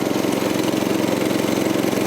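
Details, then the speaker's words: Troy-Bilt tiller repowered 14 years ago with a 6.5 HP 212cc Predator engine, after replacing a bad spark plug that gave no spark: steady, even patter with no misses, surges or knocks; fairly quiet, same as last year; normal running. "It's running though. Sounds good. Fairly quiet. Doesn't sound different from last year."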